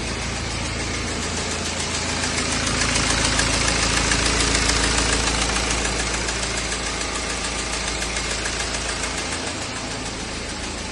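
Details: BMW E92 320d with N47 diesel engine at idle: steady, crisp ticking, about three and a half ticks a second; cause unknown.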